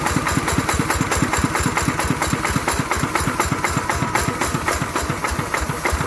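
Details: Single-cylinder ET 110 diesel after repair of a knocking noise, thumping along at a steady idle with even firing pulses and no knock; running normally.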